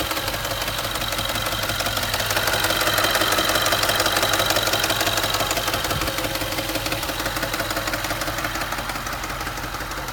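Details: Range Rover engine at 60,000 miles: steady running with a regular light tapping about three per second; engine knock, cause unknown.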